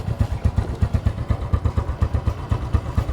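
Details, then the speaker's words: Smash 115 motorcycle single after a tune-up with intake and exhaust valve clearance set and spark plug refitted: steady, even low thumping at idle with no rocker tick on top; normal idle. "Naikabit ko na yung spark plug. Moment of truth. So yan, mandar na yung ating"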